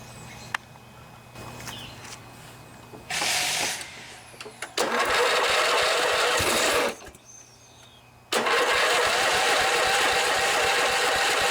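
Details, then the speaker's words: Snapper SR 1028 riding mower with a 10 hp flathead Briggs & Stratton, revived after sitting: runs in uneven bursts with dips and surges, sputtering a little. Could use more carburetor work but functions. "Sputters a little bit, could probably use a little more carburetor work, but it functions just fine."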